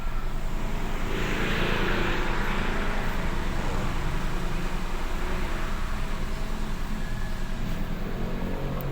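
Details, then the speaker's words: 2011 Kia Picanto 1.0 manual, previously no-crank no-start, idling after ECU replacement: steady, even low idle with a smooth pulse and no knocks or misses; running normally. "umaandar na mga kamano yan may RPM na siya may RPM na siya"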